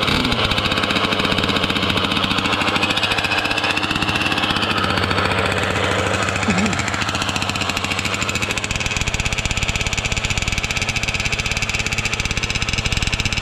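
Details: Losi 5T RC car with 34cc Zenoah gas engine on a stand, pump gas: loud rapid buzzing two-stroke rattle, fairly constant but harsh and uneven; running poorly, cause unknown; owner says it sounded good when bought.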